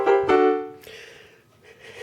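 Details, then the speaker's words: Roland MKS-20 digital piano module after its bypass relay was replaced to cure distorted output from dirty contacts: two piano notes ring and fade cleanly with no crackle, buzz or distortion; clean audio output. "Jim will have one that has a nice brightly lit screen and sounds good."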